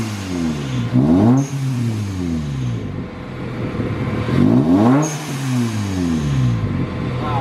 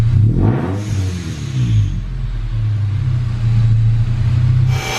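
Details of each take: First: Manual supercharged Toyota Tacoma after an exhaust change. The deep, full exhaust note rises and falls smoothly through revs and sounds meatier, with no rasp or buzz. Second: Manual Toyota Tacoma with a Rotrex supercharger kit, at idle with rev blips. The exhaust note is raspy and droning, with a whoosh from the supercharger bypass valve. It is too loud.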